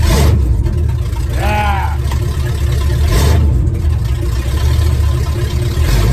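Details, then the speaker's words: Truck engine started after fitting better fan belts: deep, steady rumble rising and falling cleanly with revs, no belt squeal or slap; engine sounds healthy. "hey this sounds so awesome"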